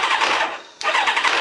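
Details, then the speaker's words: Kawasaki ZZR 600 replacement engine at startup: a short cranking burst catches with a dropout, then a metallic clank and clatter, worse if it struggles to start. The owner attributes it to the starter clutch, which needs fixing. Clatter on startup. "That clank when it's fired up, that's the starter clutch. It actually fired up pretty quick, but if it struggled at all to start, it made all kinds of clattering and rackets."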